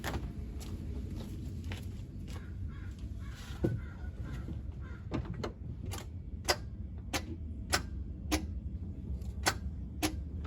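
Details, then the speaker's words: 1990 Mazda Miata with a high, fluctuating idle, restarted with the idle air control valve unplugged: sharp single clicks roughly every half second with no proper cranking over several tries; the starter needs replacing. "Looks like it needs a starter as well. Come on. Okay, so far so good, guys. We definitely going to need a starter on this vehicle as well, as you can tell by how many times it took to start it up."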